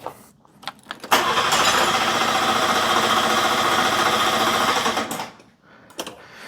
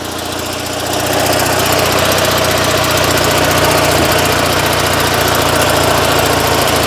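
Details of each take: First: Car just boosted with a jump pack cranks quickly and evenly, about four turns a second for four seconds, never catching; it had been working, owner cannot hear the fuel pump and fears it is dead; crank no-start, no fuel delivery. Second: Invacar two-stroke, sat for months since about March or April, jump-started from a nearly flat battery, oil pressure present, on choke: catches within a second, rises to busy even putter and holds it; normal start and idle.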